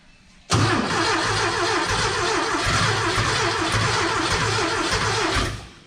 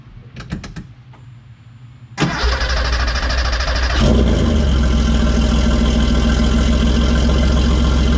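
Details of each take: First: Porsche 914 with new 2-liter engine, first start attempt, oil pressure established, fuel squirted in: steady quick cranking about five seconds that never catches; no start, may need more throttle. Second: Cold start of a 1981 Porsche 930, mostly stock with a few modifications and a nice little exhaust system: short crank, quick catch, brief blip, then strong steady fast idle with deep, even exhaust beat; healthy.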